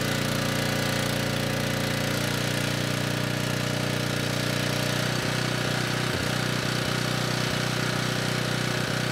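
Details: Ridgid 5700 W generator (RD905712), Yamaha MZ300 engine, dump find with 1500 hours; started first pull on a cold day, warming up before load: steady drone with light even engine patter, no knocking or hunting; normal running.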